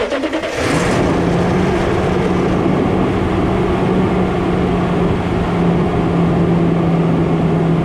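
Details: 2007 Toyota Tundra with a dead battery at a dealership, jump-started on a snowy day. A brief crank, then it catches and settles into a steady, even idle with a constant low hum; it starts and idles normally.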